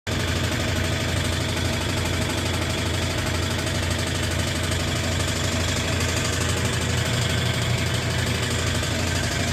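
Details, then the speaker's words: Nearly new Brastemp 12 kg washing machine: loud spin roar with low hum and rough knock about twice a second during spin with heavy laundry, silent empty; cause a loose, broken screw. "Quando ela centrifuga, parece que tem alguma coisa batendo."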